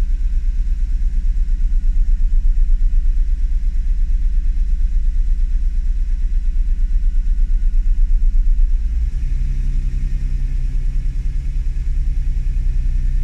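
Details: Honda NSX at idle during fault finding: low, steady idle pulse that sags and changes note about nine seconds in; unstable idle, cause not yet found.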